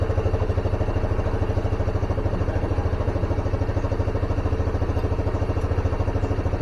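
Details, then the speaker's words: Carbureted Honda Scoopy single-cylinder scooter, stalls when easing off throttle, running at raised rpm while mixture set: even low pulse; fuel comes out when vacuum line sucked, vacuum fuel tap suspected leaking, to be replaced. "sepertinya keran vakumnya bocor ya sedut dia bensinnya ikut keluar kita coba nanti ganti keran vakumnya ya"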